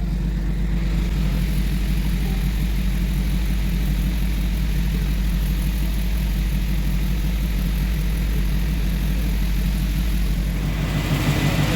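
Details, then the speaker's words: Mercedes-AMG G63 idling on a lift after an engine oil and filter change (8.5 litres added), deep, steady even idle with no ticking, knocking or surging; no oil leaks found, engine running healthy. "हाँ दोस्तों, गाड़ी को start किया है और ऊपर उठा के चेक किया है कि ऑयल लीकेज है कि नहीं।"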